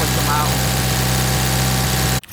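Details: Mitsubishi Evo 9 at a steady idle. A fast, even ticking rides on top and keeps pace with engine speed. The hydraulic lifters are noisy and loud, and the owner is replacing them with GSE zero-tick lifters.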